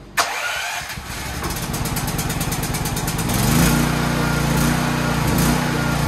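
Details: Troy-Bilt XP generator on the bench during service, full fuel, fuel valve just opened: cranks briefly, catches cleanly and settles into a steady, even drone that rises smoothly as the governor takes hold; normal start and run.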